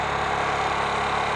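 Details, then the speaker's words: Carbureted motorcycle, warmed up: idles fast and steady at about 4500 rpm with no throttle applied because the carburetor idle screw is misadjusted. The fix is turning the idle screw with a screwdriver down to about 1500 rpm. "Así más o menos, ahorita la moto está muy acelerada, está como a 4500 revoluciones y yo no estoy acelerando, no estoy acelerando ni nada."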